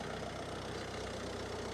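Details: Citroen DS3 diesel, former non-runner after engine rebuild with new cambelt, water pump and cam: steady, even idle with a regular low beat and no knocks or misses; healthy normal idle.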